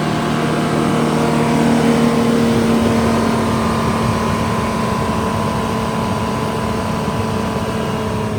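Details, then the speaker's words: Detroit Diesel 6-71 two-stroke in a 4104, after repair for coolant in oil and oil changes; held at governed top speed, loud even roar with no knocks or misses. "let's take it up to the governor again for about 60 seconds and then yeah and then we'll shut her down"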